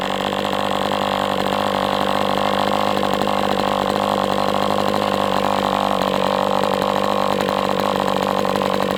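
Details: MDS 68 FS Pro four-stroke glow engine on break-in stand, after carb retuning (idle screw had been tampered with), idle bar plug removed; constant high-revving buzz with slight rattle, level pitch; normal running.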